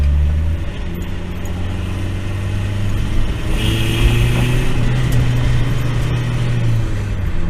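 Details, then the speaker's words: Turbo Miata driven with wastegate flapper missing, no boost: deep, uneven, ragged drone under acceleration with a weird noise; owner suspects an exhaust leak, not certain. "but whenever you really get on it it's making a weird noise it kind of sounds like it has an exhaust leak I'm not really certain kind of sounds like kingy"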